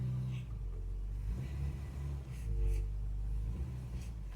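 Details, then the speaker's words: Car with rebuilt carburettor after ignition timing was set, driven through the gears: steady low drone with no knock or rattle under load and no stalling; the earlier knock is believed to have been pre-ignition or a tappet. "Does not sound like it's knocking now. And it's taking gears without stalling. Which is good. That's not knocking."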